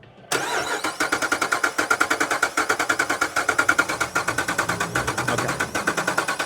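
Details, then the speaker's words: Jeep with a misfire code and an ionization code, cranking in quick pulses with some compression beats softer than others; uneven cranking cadence, low compression suspected but unconfirmed. "because this thing has got um it does the cadence is not right on this."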